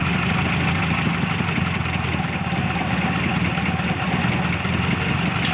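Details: Daihatsu Zebra carbureted engine after carburetor setting for economy: steady, even idle with smooth low hum, no misses, knocks or hunting; runs normally.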